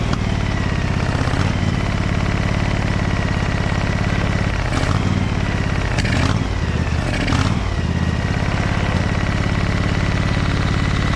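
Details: Briggs & Stratton Vanguard 23HP V-twin on a Little Wonder hedge trimmer, after primer bulb replacement and carburetor cleaning, low throttle: steady, even low putter with a few brief handling clatters. Idles smoothly and sounds healthy.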